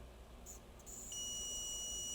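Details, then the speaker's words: Dell G15 5530 laptop that died after a RAM upgrade from 16 to 32 GB: the supply injects 0.5 V at a coil into a shorted rail and gives a thin steady high beep; the thermal camera shows nothing getting hot. "You see anything getting hot? I hear it beeping, but I'm not seeing anything getting hot."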